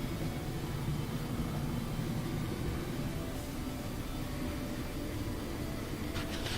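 Even low rumble of the drum turning, with no squeal or scraping; the dryer is running smoothly as it should.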